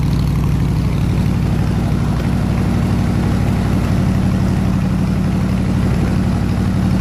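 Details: 302 V8 air-compressor engine at 160 degrees operating temperature, 9 psi fuel pressure, re-ended plug wires: deep, steady drone with an even, unbroken beat and no misses or knocks; running smoothly.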